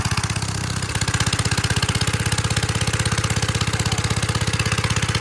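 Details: 1946 Gravely Model L single-cylinder, first run after about five years sitting, started on ether with a suspected bad carb float and gas leaking out, in neutral at mid throttle: steady even beat about thirteen pops a second, no skips or clatter; running healthy.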